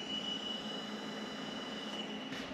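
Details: High-pitched ground-loop squeal, a steady thin whistle around 3 kHz over hiss, from several audio sources joined through a USB audio mixer and hub; it changes when a USB cable is unplugged and only stops with it removed, though both USBs are needed.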